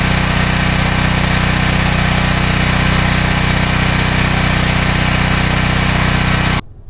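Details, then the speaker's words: Briggs & Stratton 6,250 W gas generator after replacing an old gummed-up spark plug that caused a no-start: steady, even engine drone at fixed speed, no misfires or stumbles; runs healthy. "Well, as you can see, my generator started and ran just fine after I got that new spark plug put in."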